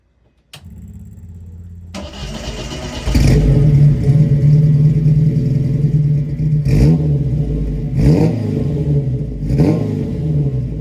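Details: Alfa Romeo GTV street-legal race build, new stainless large-diameter straight-pipe exhaust with one muffler ahead of the rear axle, untuned before dyno: cranks, catches, deep even loud rumble swelling cleanly on blips; healthy, loud exhaust.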